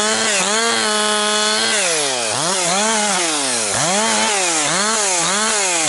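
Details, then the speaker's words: Husqvarna 262XP two-stroke chainsaw after rebuild, several tanks through it and breaking in, pushed harder cutting 4–12 inch pine firewood; crisp high revs dropping into cuts and snapping back, clean responsive throttle; strong and healthy. "Getting it going a little harder. pushing a little harder cuz I already have uh like I say quite a few tanks through it here and it's uh breaking in pretty good."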